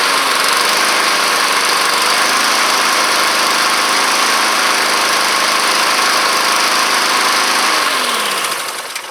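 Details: Honda Harmony II HRR216 push mower, neglected, with a new air filter: small single-cylinder engine runs steady and even with no misses or surging; it oscillates if the throttle is set too low.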